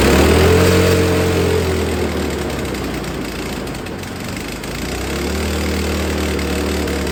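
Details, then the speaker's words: Snow blower small engine that sat all spring and summer on ethanol gas and wouldn't start; gas changed, carburetor cleaned. Runs with an even putter, speed sags briefly then recovers to a steady run; normal running after carb cleaning. "okay so I have to pull the key up I've clean the carburetor out and it starts"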